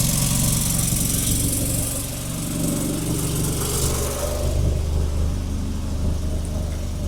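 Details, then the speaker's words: 1987 VW Golf Mk1 Turbo GTI running for the first time after a fuel pump swap: rough running with a raspy puffing hiss, louder on revs. A leak is heard behind the turbo; the owner suspects the manifold or something loose. "Still sounds it's got an air leak, but we got running. It's running. Sounds like there's a freaking leak somewhere though."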